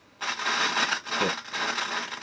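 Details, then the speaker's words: His Master's Voice record player valve amplifier on a bench PSU, leaky capacitors still fitted, screwdriver touching phono lead: harsh scratchy crackling jumping as the knob turns; dirty, worn volume pot. "we've got a very scratchy volume control but even with all the Leaky capacitors in there we do actually have a working amplifier"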